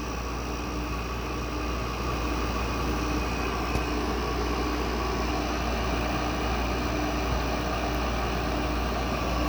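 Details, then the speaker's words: Goldstar WG5004 window air conditioner LG compressor at first start after sitting; constant rough hum with faint repeating chatter, owner suspects a lubrication issue, expected to quieten as pressure builds. "Yeah, I think it's got a lubrication issue. That's what that sounds for. I'm pretty sure that is pointing to a lubrication issue."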